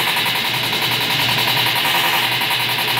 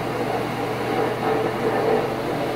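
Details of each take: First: Stackable washer-dryer combo making a horrible racket on spin: harsh rapid banging three to four times a second, tub thrashing; broken tub support, fixed by welding in a quarter-inch steel plate. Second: Stackable washer-dryer combo after repair of its loud racket: steady, even whir of the drum spinning with a smooth pump hum as water drains, no knocking or scraping; now much quieter than before.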